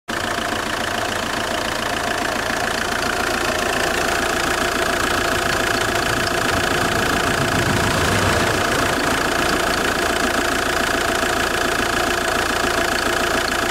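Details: JTD 105 diesel idling cold: fast, fairly even creak about three or four a second over steady clatter, weird creaking noise when cold, source unclear.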